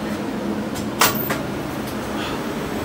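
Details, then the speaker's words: Walk-in cooler running warm: steady, even hiss at the expansion valve with one knock, saturation far too low and evaporator tubes frosted; low refrigerant charge and restricted liquid line driers, valve itself not plugged; system to be pumped down and driers replaced. "valve is not plugged up but you can see our saturation is way too low we're freaking you can hear it hissing and all of our inner tubes are all frosted up"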